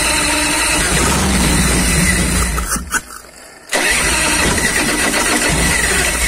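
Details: 1990 Harley Fatboy Evo V-twin after a carburettor clean (clogged jets had stopped it starting): fires after a brief drop-out and settles to an even loping idle; runs clean.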